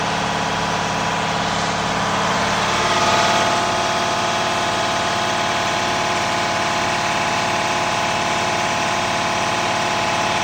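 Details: Diesel truck idling steadily with a faint rhythmic puffing tick from a hard-to-find exhaust leak, which caused extreme soot buildup on the system.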